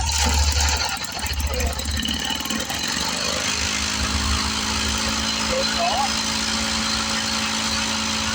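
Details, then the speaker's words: 1970 Lawn-Boy Buttercup mower after refitting the screen: rough catching at first, then settles into a steady, even buzzing run without stumbling; runs better than before. "she seems to run better now doesn't she I guess we made a difference"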